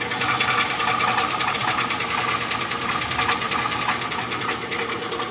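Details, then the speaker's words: 2005 Chevrolet Tahoe Z71 at idle: light, fairly quick ticking knock, about a hundred a minute, over a steady idle; owner suspects a bad rod, no engine shaking, no metal shavings in oil, louder underneath; cause unconfirmed. "Do anybody know what could cause this sound? Could it be a borrowed rod? No engine shaking."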